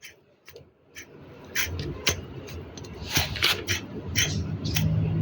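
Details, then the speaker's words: Proton Saga BLM water pump after 4 years of use, loose and spun by hand: gritty, uneven rasping from a worn bearing; no coolant leak, impeller still good, slight rust. "Ha kuat kan bunyi dia kan? Bunyi bearing dia tu dah berbunyi."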